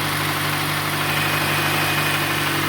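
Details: 2016 Nissan Sentra SV with dead battery cells, engine running, alternator charging 14.46 V: steady, even idle with a smooth low hum, no knocks or squeals; normal idle.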